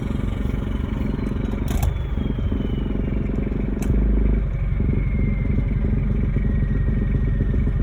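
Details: Toyota 2L-TE 97 hp diesel near idle with its exhaust fallen off: steady clatter with a thin, pitch-drifting turbo whistle heard openly.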